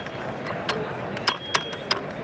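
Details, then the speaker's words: Roltek racing transmission with serviceable face-plate dog gears, shifted by hand: five sharp metallic bangs in about 1.6 seconds as the gears lock in. The banging comes from the face-plate gap that allows fast shifts, and it is normal. "You can hear it how it's banging. That's because of the gap. Okay, that's normal."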